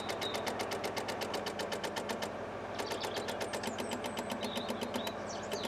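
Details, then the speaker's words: Rover 216 convertible off the road since 2013: fast even clicking at about four per second with no cranking and the car otherwise dead, a relay chattering from a flat battery. "an old-fashioned teletype machine all right so i just stole the rover 2000 battery which about twice the size so that will crank it over"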